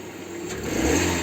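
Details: Lada Vesta after replacing worn engine/gearbox mount with reinforced one to cure knocking, engine revved; brief smooth rise in engine speed with no knocks or clunks; normal revving on new mount.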